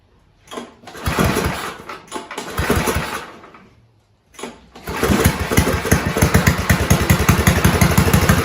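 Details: 1970s Roper 1032 snowblower, probably 10 hp Tecumseh, with fixed-jet non-adjustable carb bowl from another 10 hp: cranks, catches, steady chugging that swells slightly, mild idle hunt; cured by richening idle circuit.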